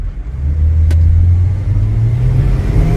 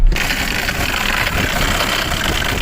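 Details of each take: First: Mercedes E300 with OM606 turbodiesel, driving under hard throttle with window open: deep diesel pull with faint whistle rising as turbo spools cleanly, boosting properly; later check engine light returns and boost is lost again. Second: Mercedes E300 OM606 turbodiesel, started with a jump pack after the glow plug wait, barely running with an uneven, lumpy diesel clatter at idle; rough idle.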